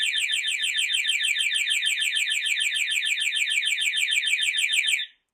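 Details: Triumph Sprint 955i whose alarm fob has burnt circuit tracks: a fast, piercing warbling siren of about three chirps a second runs steadily, then cuts off. The fob won't disarm it. Alarm keeps sounding.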